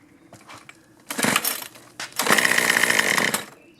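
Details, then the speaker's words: Troy-Bilt two-stroke string trimmer, stored drained over winter, on choke after priming with the primer bulb; some fuel leaking. Pulls give ragged buzzing bursts that catch briefly, then die. Little fuel pushing through; owner suspects a clogged carburetor. "not getting a lot of fuel pushing through here maybe the carburetor's clogged up"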